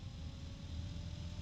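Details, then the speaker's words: Fan run at its lowest speed, about 800, after needing full voltage to start: a steady low drone with a soft airy rush, no knocks or rhythm, measured at 60.9 dB. Loud low-frequency fan hum. "okay there's a very low hum to it and it's loud 60.9 DB loud"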